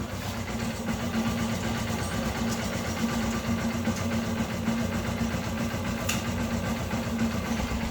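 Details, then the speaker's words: Honda XR150 motorcycle, 18,000 km, cold engine just reassembled after cylinder head noise repair, exhaust blocked to listen: even, smooth single-cylinder idle, no knock or tapping; now totally quiet. "Vemos que quedó totalmente silencioso."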